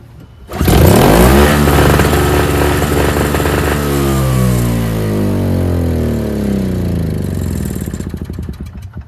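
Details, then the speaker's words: NOMA 21-inch single-stage snowblower, 4.5 2-stroke, after carburetor cleaning; electric start not working, pull-started. Fires on first pull, runs smooth and even with no misses or knocks; normal running. "And runs great. This thing is like mint. It's so smooth."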